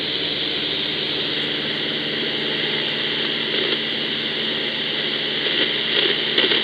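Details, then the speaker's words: Ecoflow River 2 Pro inverter near an Icom IC-705, AM mode around 49.53: steady hiss with faint buzzing, present even with powered speakers off, gone when inverter is off; inverter RFI, possibly shifting with heat. "I heard the noise even with the front speakers even with the powered speakers off but as soon as I kill the inverter the noise goes away again"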